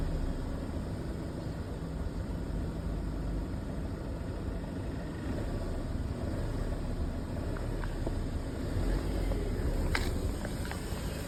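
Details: Mercedes W204 with M271 engine at idle: low rumbling idle with a loose, uneven rattle underneath; cause not yet pinned down.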